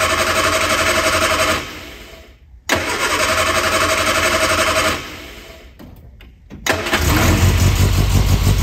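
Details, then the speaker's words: Classic Innocenti, probably not started yet this year, whose weak battery ran the fuel pump but couldn't crank: two cranking bursts on a small jump pack, then it catches around seven seconds into a fast idle. The pack dropped to 25%. "this one had enough power to run the fuel pump but not quite enough power to crank over let's try the jump pack"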